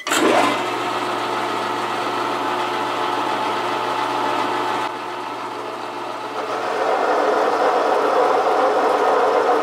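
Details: Metal lathe parting cut with a shallower, more solid chuck at the same rpm as before: steady spindle hum under even cutting hiss, no chatter building, little resonance; smooth normal cut-off.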